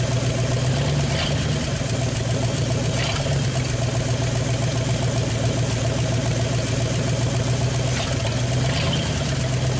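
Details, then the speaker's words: 1959 Ford Galaxie Fairlane 500 V8, first start after sitting since about 2010, fuel fed from pressurized tank: steady low idle with faint fast irregular tick; owner suspects lifter tapping that may clear with driving; no smoke. "so here a lifter tapping but you know driving a little bit it'll probably clear up I'm sure"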